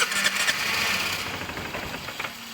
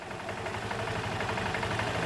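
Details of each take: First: 2005 Vespa GT200, Keihin carburetor, started cold: engine catches and sputters briefly then dies out as it warms; the choke enrichment (cold-start) jet is clogged, and throttle blips only squirt fuel via the accelerator pump. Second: Vespa GT200 single-cylinder after a carburetor cleaning and tune-up, warmed up for over a minute, idle speed being set: a low, steady, even putter with no stumbling or hunting; normal idle.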